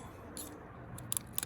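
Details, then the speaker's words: G3 Hemi swap harness test, engine sat about 6 months: sharp, crisp ticks over a quiet low hum as a fuel injector clicks normally on battery power, after a stuck injector was freed by tapping lightly with a screwdriver. "hear that it wasn't clicking and now it's clicking"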